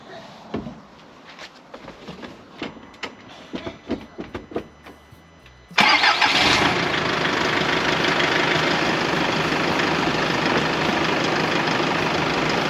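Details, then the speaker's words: Diesel truck being built into a dumpster truck with Japanese donor parts in New Zealand, started after batteries were disconnected and about three weeks unrun; starter cranks in quick even pulses for about six seconds, then catches to a steady idle. Normal start; fuel drew through, no bleeding needed. "sounds all right doesn't it we'll just wait and see if that Diesel's going to suck through or it's going to stop and then I'll have to prime it"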